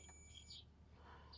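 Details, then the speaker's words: Multimeter continuity test on a spare 20 A fuse taken from another truck, while diagnosing an OBS Ford F250: a steady high-pitched beep lasting about half a second shows full continuity, so the fuse is good. "this fuse is good"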